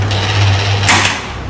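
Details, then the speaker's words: Hatari 16-inch desk fan HBS16M4, 220 V 50 W, on speed 3, fast metallic rattle over motor hum as shaft knocks in a loose bushing. "เมันมีเสียงดังนะครับดังแก๊กๆๆๆเหมือนเสียงเหล็กกระทบกันนั่นก็คือแกนเพลากับบูทกระทบกัน"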